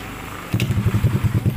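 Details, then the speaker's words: Honda Blade, cold start after camshaft bearing replacement and valve adjustment for rough grinding noise: fires instantly into an even quick idle; slight clicking from the new cam chain tensioner, not yet filled with oil. "Nah ini ada krecek-krecek sedikit itu e apa namanya tonjokan si otomatis tonjokan ketengnya belum terisi oli ya"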